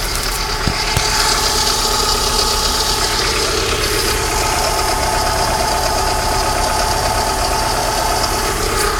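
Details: 1995 Alfa Romeo 155 2.0 TS 16V idling with a steady high whir and hiss over a thin low end, holding even throughout; accessory whine, alternator bearings suspected but unconfirmed.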